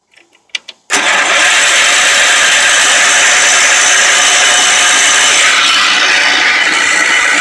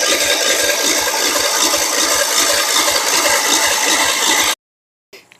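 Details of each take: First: Old Wheel Horse tractor after the carburetor and fuel pump were cleaned, lines cleaned, a new cardboard gasket fitted and fresh gas added: brief cranking, then the engine catches and settles into a strong, steady run with no misses. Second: Wheel Horse tractor, possibly 1973, 10 hp Kohler, sat three years, cranked via jumper cables: steady rapid cranking about two and a half turns a second with no firing; no spark, ignition fault not yet found.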